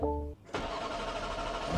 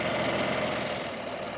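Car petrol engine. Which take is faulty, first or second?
first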